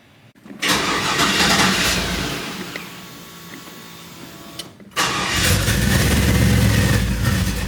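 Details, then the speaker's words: Chevy C10 truck after a new wiring harness, injectors and MAP sensor: it starts cleanly, then within seconds the idle sags and stumbles and it is restarted; a vacuum leak makes the idle act up, and the O2 sensors read incorrectly. "So, after checking the truck out, there seemed to be some kind of vacuum leak that was making the idle act up on this truck. When you first turn it on, it started off good, but then after a few seconds, it started tripping out."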